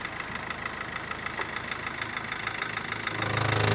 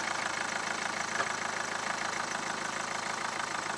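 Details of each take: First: Mahindra Verito diesel idling, heard from under the car: a loose knocking that builds toward the end; the broken lower gearbox mount has folded back and strikes the body and steering box; the mount is to be replaced. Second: Mahindra Verito diesel with noise complaint when engaging reverse: steady diesel clatter holds even in reverse with a light rev, no thumping or rattle from the mounts heard in this run; normal running.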